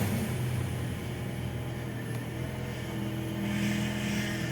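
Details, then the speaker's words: Fiat Uno Vivace at idle, steering wheel turned side to side: low whine rises and holds; power steering fluid well below level, pump starved of fluid. "e olha só a zoada aí é fingir o volante para o lado e ir volante para o outro tá vendo e o Oi tá bem abaixo né não está fazendo a reposição"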